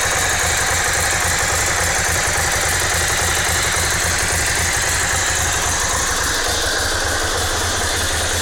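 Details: S2R 1000 twin at idle: a loping beat under a loud, dense, constant metallic clatter and tick; abnormal engine noise, cause unclear.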